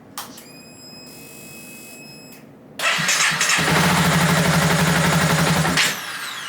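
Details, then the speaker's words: Honda CBR250R motorcycle: cranks, catches and runs roughly for a few seconds, then dies when throttle is rolled on; cured by installing a new spark plug, worn plug blamed. "when i give it gas it dies so hopefully when i change the spark plug i should fix that"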